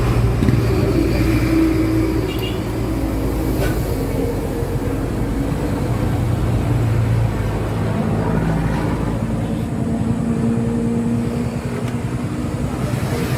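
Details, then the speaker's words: Yamaha YTX125 after its carburetor was cleaned, which fixed the misfiring and stalling: a low, throbbing single-cylinder beat holds fairly steady over light street noise; it now runs without dying. "Ayan guys na umandar na >> yan ang naging problema niyan guys ahis namin yung karburador saka yata spark plug naging problema"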